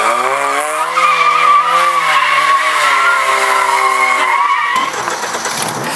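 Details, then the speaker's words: Ford Anglia van with a Zetec engine swap, normal driving: revs rise and fall through a shift with a brief thin squeal at the gear change; the owner suspects the release bearing vibrating, unconfirmed. "Just hear that little bit of squeal when I change gears. You hear it? Just for a split second. That's the only niggle that I've got with it at the moment, but I'm not taking gearbox out just for that. I think it's release bearing that's just vibrating as you change gear in the normal driving."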